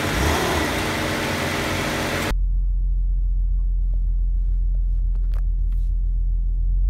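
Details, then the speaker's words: 2002 Nissan Maxima GLE, in drive with brakes on, given a little gas: deep droning rumble with dull thumps as the engine rocks on the broken front electric engine mount, bottoming out. "and there's a lot of resonance in the car now"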